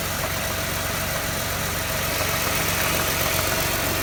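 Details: 2006 Jaguar X-Type 3.0 V6 with a steady fast tapping, about four per second, over the running engine; ticking/knocking noise reported under acceleration, source undetermined.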